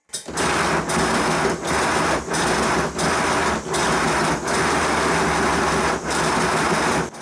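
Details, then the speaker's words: 5-inch gauge Modelworks pannier tank steam loco on a rolling road, boiler and water tanks full, after suspension calibration; even chuffs roughly every three-quarters of a second over constant hiss, running smoothly. "once again is the engine running on the Rolling Road with the tanks and boiler full of water"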